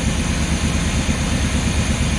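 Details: Luhrs 28 boat engine with newly rebuilt carburetor, before taking it out to test under load: steady, even low rumble at idle with no knocks, misses or surging; runs great.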